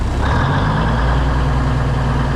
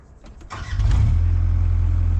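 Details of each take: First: Classic White Freightliner COE heavy wrecker with Eaton Fuller Road Ranger transmission, cold start in freezing weather after sitting: steady, even low diesel rumble with short air hisses as frozen air brakes build pressure; good oil pressure, healthy idle. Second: 454 Chevy K20 square body, carbureted, started in freezing cold on a jump box with the choke cracked. A faint cranking rattle catches after about a second and settles into a loud, even low rumble. A slow cold start.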